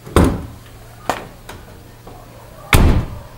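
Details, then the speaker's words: Dacia Logan door shut after fitting an extra Duster facelift door seal, shut a bit harder: a dull, more muffled thud with lighter taps and a slight tinny edge; the door closes normally and sounds more muffled than before. "Cred că am dat un pic mai tare cu ușa acum, dar se aude mai infundat. Garantat se aude mai infundat."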